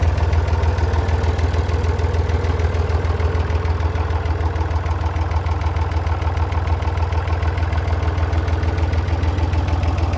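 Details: Massey Ferguson 35 Perkins diesel tractor after a cheap partial rebuild: steady even idle, a low regular chug with no knocks or misses; runs cleanly.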